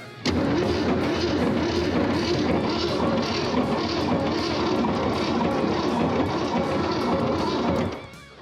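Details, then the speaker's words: 1967 Mercury Cougar, 289 V8, 4-speed manual, first run in almost 40 years: rough idle with a heavy, repeating clatter and bright knocks. Owner thinks it is a bottom-end noise and notes no oil reaching the top end; cause unconfirmed. "what's making that noise [Music] something sounds like a den of hungry Lions a bag of [Music] hammers what is that"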